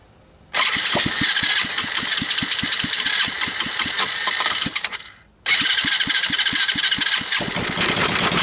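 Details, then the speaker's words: Chinese 110cc ATV that ran through mud and ingested water, grass and dirt with no air cleaner: harsh metallic grinding over quick cranking pulses, engine nearly catching twice; owner suspects something broken inside the starter. "the starter obviously has issues sounds like something's broken in there so we kind of know that"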